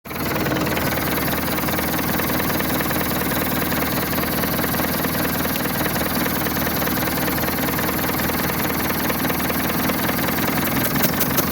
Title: Misfire caused by too tight valve lash. Simple way to set the valves in motion!